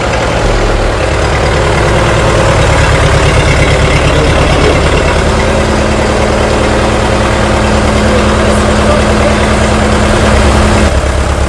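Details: International TD-6 crawler, revived after 11 years sitting rusted stuck, running on diesel after gas start, following the #4 cylinder misfire fix. Steady, even low chug at idle with no misses or knocks: healthy.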